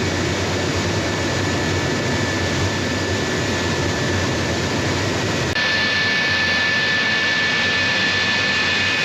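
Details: Collings Foundation jet's J79 turbojet engines on a ground engine run after leak repairs: a steady turbine roar with a constant high whistle and no surging or rattles, idling smoothly after a successful run.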